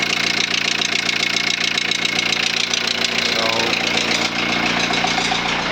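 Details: 2001 VW Transporter T4 1.9 TD diesel at idle: steady deep knock about two beats a second under the clatter; mechanic first suspected the head or a dropped valve, teardown found big end bearing surfaces almost gone, mains likely worn.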